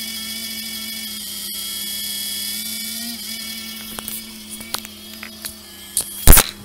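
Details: Anet A8 3D printer cooling fan: steady high whine and buzz from a dusty, dry bushing (no ball bearing) after dust got in over time.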